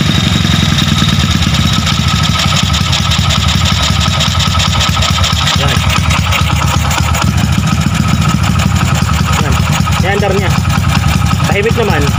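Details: Honda Wave 100 with 53mm block, stock cam to get 6.5 cam, ported head, lightened valve-pocket piston, just reassembled and started: steady even single-cylinder idle, smooth exhaust beat, no top-end clatter or ticking; healthy.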